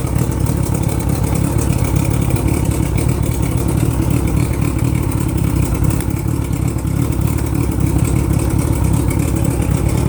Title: 1987 mariner 75hp making weird noise